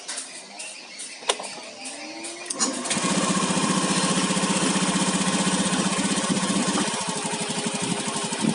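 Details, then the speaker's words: Scooter engine after a loose, damaged spark plug cap was reconnected, which had caused a worn-roller-like knocking sound: cranks, catches and settles into a smooth, even idle with no knocking; normal idle. "suaranya aman ya. Permasalahannya di bagian di sini ya, di kap busi ini."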